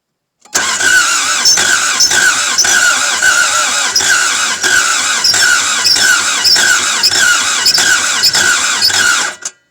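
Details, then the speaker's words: Toyota MR2 AW11 start attempt after fitting a fuel pressure regulator and soaking the cylinders; steady fast cranking for about nine seconds but it never catches. Owner suspects the injectors are not firing or injector timing. "It's so close to doing something, guys."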